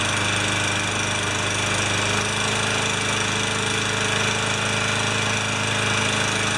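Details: Older Yard Machines mower with a Tecumseh engine, found with no maintenance and no oil, running after a full carb clean and repair: a steady, buzzy single-cylinder drone holding even speed without surging or sputtering. It runs healthy.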